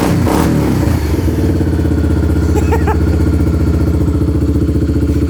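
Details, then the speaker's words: Kawasaki Lakota quad with new aftermarket exhaust, started with no choke after sitting a couple days, warming up: deep, even single-cylinder thumping at steady idle, no misses or knocks; mellow exhaust tone, healthy engine. "Sure sounds good. I'm gonna let it warm up for a second because it's been sitting for a couple days. Man, that's got a nice, deep, mellow tone."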